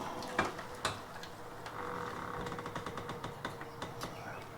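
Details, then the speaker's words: Rear leaf spring front mount where it bolts to the body, rocked by hand with the car jacked up: uneven creaks and sharp clunks from a loose, rusted mount, after brake failure cut a trip short. "If I move it around, I mean, I can hear it creaking every time I move this from side to side."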